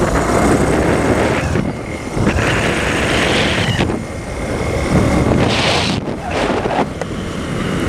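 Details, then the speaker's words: JF300 motorcycle riding after refitting the loose chain-adjuster cap that had been rubbing near the chain and bolts just after a tyre change; steady engine drone and wind buffeting, no rattle, noise now gone. "que agora parou o barulho capinha ali tava solto a capinha eh onde você regula a corrente"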